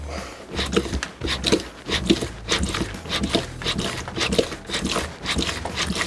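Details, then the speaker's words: Yamaha FZ6 Fazer 600 front fork after fork seal replacement, stood upright and pumped to bleed it: wet squirting bursts, under two a second, as air is pushed out of the fork oil; keep pumping until the squirting stops. "You can hear this uh squirting sound. Now usually we need to do this until the squirting sound stops."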